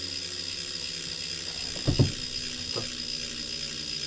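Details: Tacx NEO 2T smart trainer, in use over one and a half years: steady hissing whir with a gritty edge and a few dull clunks, uneven when pedaling stops; grinding in the flywheel drive.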